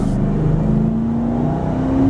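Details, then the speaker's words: Four-wheel-drive truck with push-button automatic hubs: under light throttle the engine note rises smoothly and evenly and pulls strong with no knocks, misses or rattles, a healthy engine. "i mean it just pulls strong and smooth it's got a great sound a little motor to it means just nice tight turns you know no rattles or stuff that'll drive you nuts"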